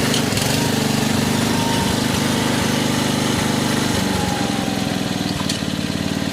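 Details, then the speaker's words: 1986 Troy-Bilt Horse 2412 rear-tine tiller after tine/PTO re-grease and transmission fluid fill, started outside: small single-cylinder engine at a steady fast, even beat under working load, driving forward; runs normally. "get it outside to start it. Moment of truth. I'll fire it up. It'll go forward."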